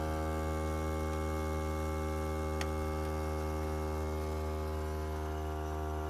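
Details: Volvo S60 2012, just after engine stop: steady low electrical buzz at even pitch with no engine running underneath; owner unsure whether normal, cause unexplained.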